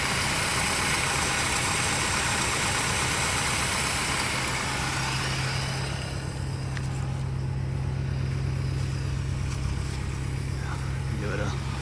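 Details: 1962 Chrysler Newport, 361 big-block V8 with Torqueflite A727 automatic, first start after 17 years, on a gravity-feed tank with no radiator: steady, even idle with a low, smooth beat that picks up cleanly on a light blip, no smoke. Normal idle.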